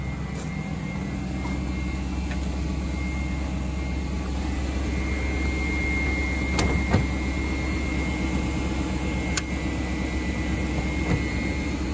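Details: BMW 740i E38 facelift 4.4 V8 petrol at cold idle: a faint, even whine over the engine is the secondary air pump (emission control air pump 11721707585) blowing air into the intake after a cold start, as it should.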